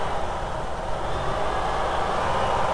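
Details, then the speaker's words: VW T3 with intermittent lack of power, at held idle: steady drone that swells and flares as the coolant temperature sensor wire is wiggled, mixture sticking rich; idle flare from a bad coolant temperature sensor connection. "so watch what happens when I wiggle the uh temperature coolant temperature sensor wire there it goes and it sticks sticks Rich momentarily and there it goes again the engine's flaring RPM"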